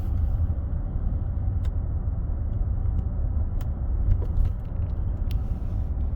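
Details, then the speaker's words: 2018 Ford F-150 4WD driving in four-high after replacing the front integrated wheel end (IWE): low even road rumble, no wheel bearing drone and no more clunking in 4WD; normal driving, no wheel bearing noise. "clicker in four high no more clunking noise so that integrated wheel end took care of our issue"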